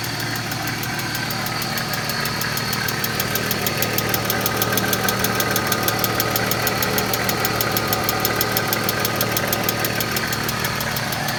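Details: 1995 BMW E36 M3, S50 inline-six, at idle: fast even ticking about three per second over a steady idle; loud lifter ticking noise.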